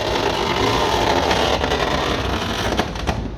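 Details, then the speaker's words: 1999 Seat Toledo Mk2 1.9 TDI AHF 110 hp, ignition on, microphone near the door: steady rough motor drone with rattling as the glass lowers, slowing near the bottom; owner suspects a fraying or tangled regulator cable. "pongo el contacto y le damos al cristal además cuando llega abajo se pone bastante lento"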